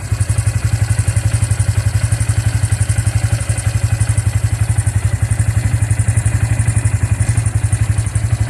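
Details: Bajaj engine running after the engine was opened up, with a steady, rhythmic thump of about four beats a second at idle and a loose clatter on top. An abnormal engine noise; cause not yet pinned down.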